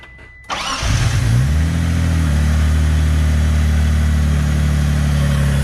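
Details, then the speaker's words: 3000GT VR-4 after a new AEM fuel pressure regulator and fuel pump: fires up and settles into an idle with an irregular stumble. No codes, fuel pressure where it should be, no fuel leaks; misfire from an air leak still present. "ron's is some problem sounds like it's misfiring dono Coates feel pressure it and where it should be yeah I mean good thing is no fuel again but air still leaking from somewhere"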